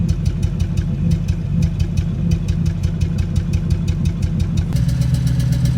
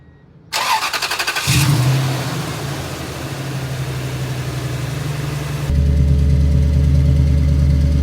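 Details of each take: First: 2002 Toyota Tundra 2UZ-FE V8 after cold-morning warm-up: uneven lumpy idle with occasional exhaust thuds/pops, cylinder 8 misfire (P0308), lurching on acceleration; bad coil pack the likely cause. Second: 2002 Toyota Tundra 2UZ-FE V8 on first start after replacing coil packs and spark plugs for a cylinder 8 misfire (P0308); cranks, fires promptly, settles into smooth even idle, no stumble; normal idle, misfire fixed.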